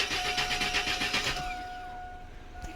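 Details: Chevy S10 4.3L V6, customer complaint crank no start, fuel pressure present: starter spins the engine with quick even beats but it never fires; crank no start.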